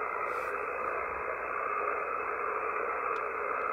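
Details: Power line interference heard on an FTDX5000 amateur radio receiver on 10 meters, RF amp 1, before the noise blanker is engaged: harsh, steady buzzing grind with no break, generally caused by loose pole hardware or dirty insulators.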